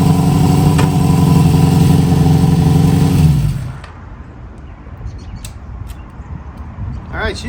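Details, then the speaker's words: 1973 Harley-Davidson Sportster engine started on choke, run weekly with Seafoam in the tank: a steady, even low idle with an unbroken beat for a few seconds before shutoff, no misses. "pretty good I uh I like to start it up at least once a week now and run it we put some seafoam in the tank and uh you can see she running pretty good"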